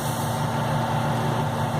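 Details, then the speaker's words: Chevrolet Corsa with a Bosch 70 A alternator at idle: steady engine hum with a constant whirring tone as the worn, fast-wearing belt rides on worn, sunken pulley grooves; fix is new pulley and belt. "a dica de hoje é sobre alternador do cós a bosch correia comendo muito rápido"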